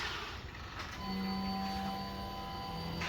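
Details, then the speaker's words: 1989 Chevy S10 Blazer with LS swap and eBay wiring harness, key-on. A faint, steady hum of about two seconds as the fuel pump primes normally. "there we go I heard it"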